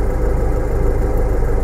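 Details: Nissan/Renault diesel with Denso pump, after SCV valve fault P1275 reset: even low rumbling idle with steady quick pulse, no knocks or misses; normal idle.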